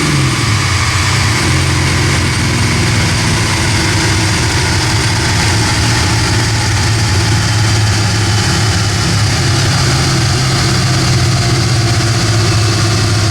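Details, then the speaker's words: 1979 AMC Spirit AMX, factory 304 V8 (budget rebuild), Brawler carb, T5 5-speed, on a DynoJet at wide open throttle with air cleaner off (gained about 5 hp): loud, even V8 roar climbing smoothly, no misses or knocks; healthy, about 210 hp. "I think does sound really good it sounds really good we just picked up five horse by taking off the air cleaner"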